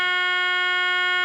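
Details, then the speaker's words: EverReady N3 radio, 400 Hz test signal fed into the amplification stage: loud, clean, steady tone with no crackle, hum or dropout; amplifier satisfactory, problem likely in the high-frequency section, not power supply. "as you can see I'm feeding in a uh 400 htz signal into the amplification stage and the amplification of the radio is really satisfactory satisfactory"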